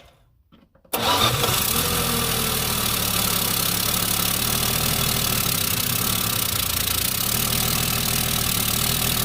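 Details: Plymouth Duster revived after sitting about two decades, before timing adjustment: catches after silence and runs with an uneven, lumpy beat and hissy exhaust; owner suspects timing too slow, not confirmed; rough running.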